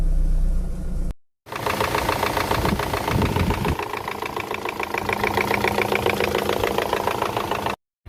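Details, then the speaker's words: Chevrolet Orlando 1.8 (F18D) with replacement engine fitted a year ago, never ran right, code for intake cam over-advanced: cranks with labored, uneven chug and won't start; cam timing found out by one tooth. "Okay, now it seems it doesn't even want to start at all."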